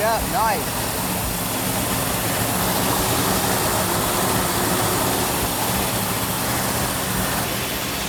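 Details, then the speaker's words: 1970 Plymouth Cuda 440-6 with Comp Cams Mutha Thumper cam, initial startup held at raised RPM for cam break-in: loud, choppy loping idle of about three pulses a second with slightly noisy valvetrain, normal for a new engine with a huge cam. "we'll go back and listen to the cam in the back sounds like a big cam right now yeah sounds like a huge cam"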